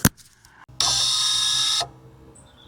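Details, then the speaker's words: 2020 Vauxhall Corsa-e, driver's rear electric parking brake caliper after a temporary repair of a corroded, snapped blue wire (fault code C1561); a single one-second motor whir as it clamps cleanly; normal parking brake apply. "And there you have it. Handbrake's back working."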